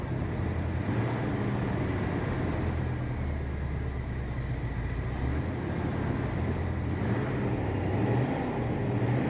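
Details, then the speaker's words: 1979 Corvette V8 idling after mufflers were replaced with glasspacks, choke not hooked up; low, even mild exhaust rumble, not very loud, sounds better than before; an exhaust leak on one side but no lifter noise. "Sounds better than before. Not very loud, but it's got a little rumble to it."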